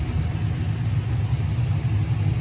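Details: 1973 Camaro pro-touring LS swap (LS1 with LS6 intake, Holley Terminator X, 228/232 cam) idling warm: deep, steady low rumble with an even pulse and no knocks or ticks; normal idle.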